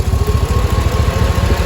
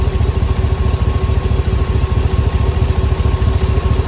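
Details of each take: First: 6.0 LQ9 V8 after head gasket, valve job and lifter replacement, first start: steady, even idle with no lifter tick. A small exhaust manifold leak remains from broken and missing bolts. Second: LQ9 6.0 V8 first startup after valve job, head gasket and lifter replacement: steady deep idle with a light puffing tick from an exhaust manifold leak with two broken and three missing bolts; lifter tick gone.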